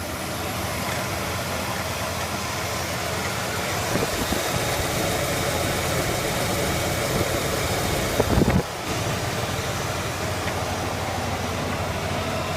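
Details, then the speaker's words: Dodge Ram 2500 that kept dying at idle, especially warming up cold, after replacing the idle air control valve: steady, even idle with a smooth low rumble and no stumbling or hunting; the engine holds speed cleanly and sounds healthy. "uh everything seems to be running correctly so I'm just going to assume that did everything right"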